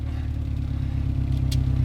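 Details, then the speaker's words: 2002 Subaru WRX idling with a new AEM 340 lph fuel pump, heard from the rear by the trunk: a low, steady rumble with no whine or buzz from the pump; a calm, healthy idle, and the pump cannot be heard. "I know a lot of the wah wah bros you can hear the mechanical pump working but yeah you don't hear nothing back here"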